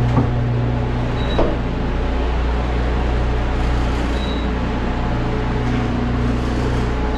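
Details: Walk-in freezer just powered back on after replacing a miscalibrated temperature control (old one clicked at -20, new at about 45 degrees), box at about thirty degrees and pulling down: steady low hum, constant drone and even fan whoosh, no clicking; normal running.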